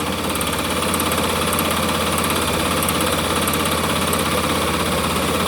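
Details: Honda CB 300 single-cylinder idle with a fast, light "tec tec" ticking on top; owner asks where the tick comes from, source unknown.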